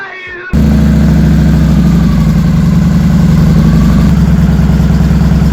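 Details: 2007 Victory Vegas motorcycle, high mileage, after fuel pump reinstall, battery back in: starter catches at half a second, engine settles into steady even low idle, no misses or knocks.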